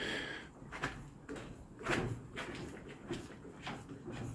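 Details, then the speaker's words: Micra stock car front suspension just fitted with smaller 2.25 in internal-diameter springs, not yet set: rocking the front end gives only soft slow creaks about every two seconds, no knock or scrape; healthy suspension. "no knocking that's all no scraping so that's we just put the springs in"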